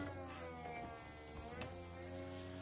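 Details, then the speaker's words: BMW 1 Series E88 convertible bought used: opening the soft top, the roof hydraulic pump gives a dull, steady, strained low groan; the roof then stops and stays stuck partway, possibly needing pump replacement. "on va faire l'ouverture de la capote comme ça on va pouvoir entendre et voir ce qui se passe donc le début du cycle se passe bien on entend déjà le bruit est assez voilà là vous entendez ça grogne"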